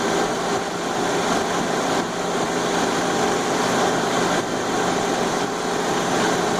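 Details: 1999/2000 Suzuki Grand Vitara: steady busy rattle from the engine top end at idle, persisting even after the gears were replaced; source still unknown. Top-end engine rattle.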